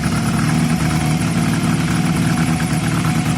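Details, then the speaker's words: Honda CB250 bobber project, not run for a while, high compression on test: steady, even idle with no misses or ticks; runs healthy, with some smoke from sitting. "we'll see bike sounds so healthy though guys didn't it"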